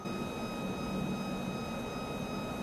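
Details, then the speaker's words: DIY H-bridge motor speed controller with NE555 PWM, 12 V square wave at 1 kHz: steady piercing high whine over low motor hum, PWM switching noise within hearing range. "The PWM frequency is 1kHz. That means power to the motor will be pulsed in at 1kHz and that's within hearing range."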